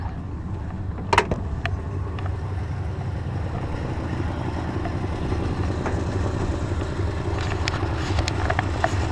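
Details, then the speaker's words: 1952 Mercury at good slow idle during ignition timing check with timing light; low, soft, steady rumble with even slow beat, no knocks or misses; normal. "And I believe we are good to go. All right. Okay, good slow idle."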